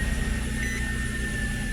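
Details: Nissan Altima race car just after the unplugged alternator was reconnected, now charging with no flickering lights: even, steady idle with a smooth low hum and no misses, knocks or rattles; normal idle.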